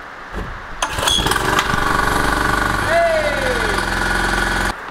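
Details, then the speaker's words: Jumping jack tamper small engine, after leaking fuel lines were replaced (carburetor suspected of spilling gas into the oil, possibly a stuck float): catches quickly and settles into a fast, steady, even buzz, running properly. "okay my gimbal went completely haywire so i'm going to try this again but it seems to be running really well i'm actually pretty surprised"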